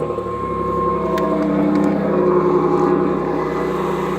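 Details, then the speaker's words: 1991 Pontiac Firebird 3.1 V6 idling after replacing the smog (air injection) pump with a new/refurbished one: steady, fairly quiet even low hum with no whine or rattle, much quieter than before; normal idle. "Much better. Much better. Much better. A lot quieter. A lot quieter."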